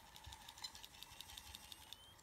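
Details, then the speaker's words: Seagate hard drive shaken while running an operating system: faint, rapid, irregular ticking clicks over a quiet whir while it is jostled, stopping when the shaking stops. "this is making some weird noises if you listen they listen oh that seems to have survived that"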